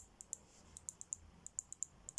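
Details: Citroen C4 tailgate release switch: crisp, light single clicks at an irregular pace, quiet background; switch actuating cleanly and working normally.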